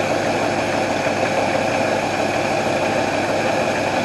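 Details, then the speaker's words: 1968 Ford Mustang coupe, off the road 15 years, carburetor with working choke, warming up at idle after recommissioning; even settled steady tone, no misses or knocks, doesn't smell rich; well tuned engine. "see what does it sound like out here actually sounds good doesn't smell rich yeah i think we're sitting right where we need to sit"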